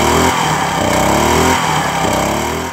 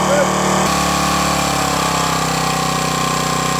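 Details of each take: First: Firman 1050 80cc generator after carburetor cleaning, with fresh fuel and stabilizer. Engine speed rises and sags in waves about every 1.25 seconds; idle surging from a lean pilot jet, fixed by slightly enlarging the pilot jet. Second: Firman 1050 80cc generator, cold weather, after carburetor cleaning and pilot jet enlarged from 0.0145 to 0.016 in to cure idle surging: steady, even drone holding speed at idle and under angle-grinder load, no misfire; runs smooth.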